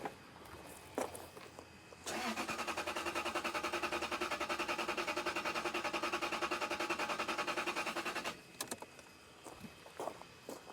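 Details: Lexus LS 430 cranking steadily at about three and a half beats a second for six seconds without firing; ignition coil has power, ground and control signal but no spark seen, cause unconfirmed.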